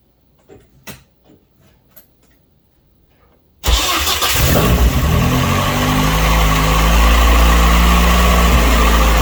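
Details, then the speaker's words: Saturn S-Series with rear-mount turbo and larger injectors, first start: cold start settling into a fast, steady idle with deep even firing; running rich because the computer commands extra fuel when cold, with fuel pressure regulator or fuel pump also suspected. "Right now the computer is commanding a lot of fuel because it's a cold start. Plus the injectors are larger. This thing would run stupid rich on startup anyway."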